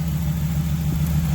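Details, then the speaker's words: 2019 Ram 1500 5.7 eTorque, 51,000 miles: steady, low, even V8 idle with no whine, after replacing the tensioner pulley that had missing bearings and caused the whining/rattling. "we got the new one put in let's test it out so as you can hear it nice and quiet now"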